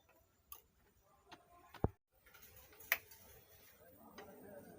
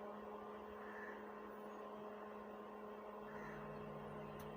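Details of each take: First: STRANGER PBT701 speaker: sharp, uneven ticks about twice a second, then a rising hiss, caused by a faulty resistor on the amplifier board. The noise persisted after a direct connection; the resistor is to be replaced. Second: Stranger PBT701 amplifier after repair: line input connected, volume low. Only a faint steady mains hum, no crackle or buzz. The earlier noise is gone and it works normally.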